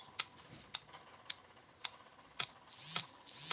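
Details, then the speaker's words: Phone after repair, antenna and speaker wires reconnected and case closed: sharp light ticks just under two per second in quiet room; repairer guesses it occurs when battery is not properly charged, cause unclear. Clicking noise. "I guess this sound only comes when the battery is not properly charged. When your battery is not properly charged, you hear the sound."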